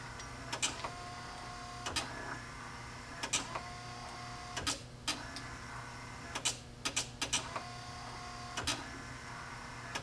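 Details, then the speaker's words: Spare wiper motor bench-wired for a 1955 Chevy truck through two junkyard relays and a 1971 ground-activated switch: sharp irregular relay clicks over a faint motor hum because ground was hooked wrongly, fixed by grounding at the switch; relay clicking from miswired ground. "Previously I had my ground hooked here, which turns it on. If I hook my ground to the switch itself, which is how it should be hooked."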